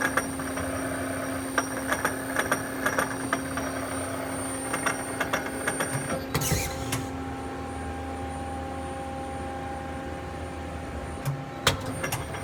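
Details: 1997 Okuma Crown 762S-BB lathe: irregular clicks and sharp ticks over a steady machine hum while the turret indexes; abnormal turret indexing noise, source not yet found.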